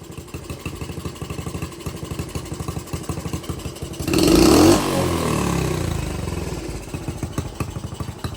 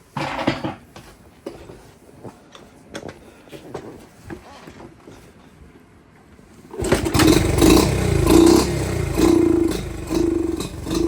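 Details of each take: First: Honda CT70 after a carb swap (different pilot, likely bigger carb), air/fuel screw adjusted after running rich and smoking: even single-cylinder putter, one throttle blip returning to a steady idle; mixture now well set. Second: Dirt bike with the fuel/air mixture screw at about a turn and a quarter out (stock is about 1¼–1½ turns): idles smooth but responds sluggishly when revved because the pilot circuit is way too rich.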